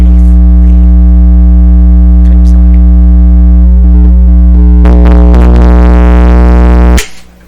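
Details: Sparton 1567 tube radio with volume up and some poor soldering found; loud deep steady hum, suspected mains, then a crackly rush; sensitive spot found at a socket, cause still unknown.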